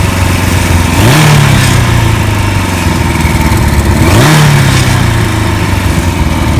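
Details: 1991 Kawasaki KZ1000 police bike, 52,000 miles, fitted with 1000 LTD carbs, fresh oil, filter and plugs: two throttle blips from a lumpy, uneven idle; runs rough, needs tuning; regulator/rectifier overcharging.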